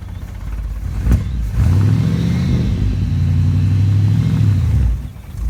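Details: 1975 Ford F-100 V8, abandoned for 17 years, cranked on its first start attempt: a deep rumble catches, swells smoothly through a couple of throttle blips and settles back without misses. Normal idle and revving.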